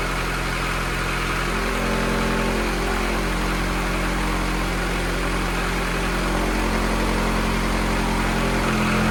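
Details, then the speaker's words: F24 engine, first start of the newly installed motor before tuning, warming up to burp the coolant: a smooth, even petrol idle with a steady low hum and no knocks or ticks. Normal idle. "oh she's running guys worked out but everything sounds good no leaks motor sounds great super responsive"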